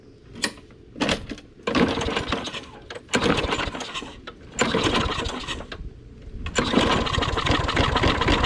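Repeated pull-start attempts, engine catching in short bursts then faltering before running unevenly; hard starting and rough running on a neglected mower. Cause suspected, not confirmed.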